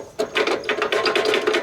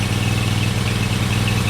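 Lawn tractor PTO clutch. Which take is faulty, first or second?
first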